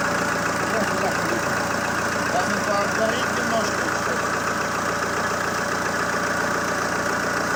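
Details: ZMZ-514 Euro 2 turbo diesel after repair for a knock, head and parts replaced: even, steady diesel clatter at idle with no heavy knock rising above it; the bottom end sounds healthy now; normal idle.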